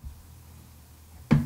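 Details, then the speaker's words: Amazon Echo Show 10 (3rd Gen), screen rotated by hand in a quiet room: one sharp click as it reaches its stop. This is the normal end-of-travel click, heard at both the left and right limits. "it makes this clicking sound that clicking sound you hear that means just hit the farthest point that it can go"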